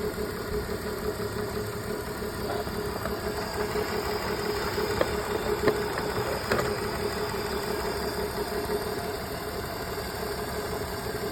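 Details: BMW petrol engine idling with a slightly lumpy, uneven beat and an occasional sharper tick; diagnosed cylinder 2 misfire.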